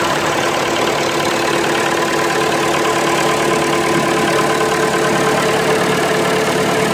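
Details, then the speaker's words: Massey Ferguson 180 diesel tractor starting after bleeding fuel lines following running out of diesel: steady even clatter at idle, no hunting or stalling; properly bled and running fine. "okay this tractor should fire up no problem because we actually had nothing to bleed"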